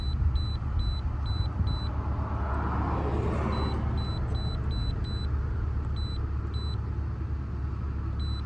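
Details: 2001 BMW E46 2.5 automatic with P0171/P0174 lean and misfire codes, started after valve cover work to relearn: steady smooth low idle with no stumble or hunting, a few chimes over the top; short-term fuel trims near zero, healthy.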